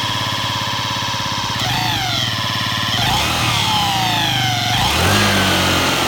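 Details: Yamaha Jog ZR SA36J/SA39J two-stroke scooter, accident bike with about 9,000 km, before repair: revving with a quick rattle about three and a half beats per second over the exhaust; abnormal engine noise, cause unknown.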